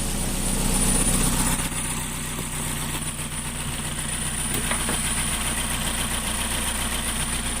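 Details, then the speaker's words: 2.0 SOHC interference engine after broken timing belt, six bent valves replaced and new belt fitted, alternator belt off and running on a battery charger: even, steady idle with no stumble or miss; normal idle. "She is purring like a kitty. So I'm real happy about that."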